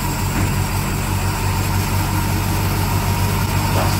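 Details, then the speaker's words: Barn-find classic Mini pickup-based ice cream van, long-dormant petrol engine just started for the first time on full choke: low, slightly lumpy idle with steady pulse, no knocking, engine running after first start. "holy cow actually running it's all the"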